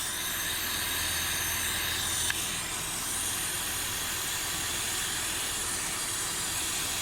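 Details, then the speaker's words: 2004 Honda Accord V6 running, a vacuum line unclamped to draw Seafoam into the intake; steady airy hiss over a smooth engine, and drawing too much makes it almost stall. "So you gotta be kind of gentle with this thing, because if it sucks too much, it's gonna turn off. Almost wants to die."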